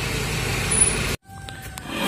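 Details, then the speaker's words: Honda Vario/Beat scooter rear transmission gear: a rough, growling drone as the wheel spins, owner suspects worn or loose bearings. "kemungkinan saya ada bearing yang sudah rusak ataupun offline"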